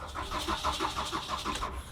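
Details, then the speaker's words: Auction-bought car that won't start, followed by reduced engine power and service traction control warnings: starter spins engine at about six even pulses a second under two seconds, no firing; cranks but won't start. "i got in the car tried to start it and it won't start"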